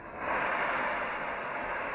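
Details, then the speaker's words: Steady even gas hiss with soft flame roar, no sputtering, from a Firemaple Jetboil-style stove on a butane-propane canister, valve open; normal burner operation. "You can smell the gas. My valve is open. Valve on the side. Hear that hissing gas."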